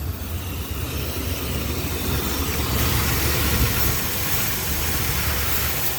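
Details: 1976 Chrysler Newport running on its own after about 8 years sitting, on a replacement battery: steady low rumble with an even beat and no knocks or pops; normal idle.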